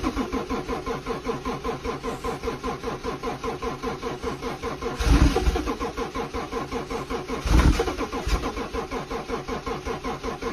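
Slow, uneven cranking around twenty-five beats a minute with a couple of surges, never catching; a cold no-start of unknown cause.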